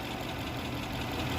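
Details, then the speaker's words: 2006 Lexus GS430 with a no-crank/no-start fault; scan showed a transmission range sensor circuit code. The engine was started by feeding positive to the starter wire. Steady, even low idle with no misses or knocks; normal idle. "गाड़ी हो गई start. तो मैं गाड़ी बंद करता हूँ तो आप लोगों को दिखाता हूँ।"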